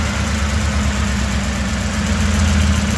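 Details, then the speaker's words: 2006 Ford Expedition 5.4 L 3V V8 awaiting timing chain, cam phaser and VVT solenoid work: low rumbling idle with an uneven, stumbling, loping beat; sounds like a misfire before compression testing. "and you can hear it sounds like it has a miss"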